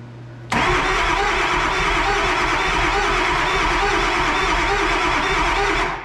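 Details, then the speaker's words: 2002 Ford 7.3 Powerstroke V8 diesel tow truck that won't start after ether use, cranked by jumping the starter from the battery: five seconds of lumpy, uneven cranking; suspected inconsistent compression across the eight cylinders, possibly broken rockers, not confirmed. "I don't know if you can hear the inconsistency in that but that's not good that means there's a well inconsistent compression amongst all eight cylinders"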